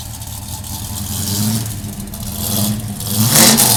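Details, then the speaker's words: Restored 1968 Dodge Charger with a 440 big-block V8, large cam and a vacuum pump, about 5,000 miles: burble, then two smooth rising revs that settle back cleanly with no knocks or misses. Normal revving. "That little bit of noise you're hearing is actually a vacuum pump. This engine has got kind of a large cam in it, but it still maintains its power"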